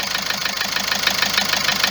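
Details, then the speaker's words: Car brought from Algeria, ticking since being started this morning and constant, no vibration: a fast, bright, metallic ticking about eight per second over a smooth idle; engine ticking at idle. "الطقطقه هذه يتكلم من هذه، التقربيح هذا يتكلم من جيتي زانجكتر والتكايات."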